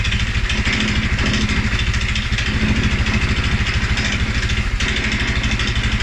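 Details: 2011 Polaris Sportsman 550 XP, EFI: low idle, uneven thumping around 200 beats a minute, lopsided and wavering; stumbles cold on startup and after riding or revving. Dealer found TPS, IAC, TMAP in spec; valves, timing, new plug, 43 psi fuel pressure good; cause unknown.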